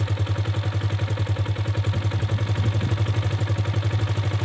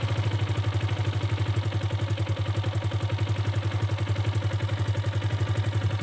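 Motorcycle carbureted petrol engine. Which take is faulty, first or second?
first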